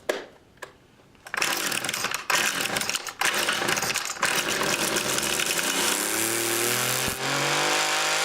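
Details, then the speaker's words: Homelite 150 Automatic chainsaw, started with choke on after about six pulls; sputtery, uneven two-stroke buzz that stumbles and surges before settling rough and smoky. Owner suspects it is running rich and the carb needs cleaning and adjusting. "i'm gonna say she's running a little rich or something definitely just [ __ ] plowing the smoke and oil and gas and everything right out the exhaust"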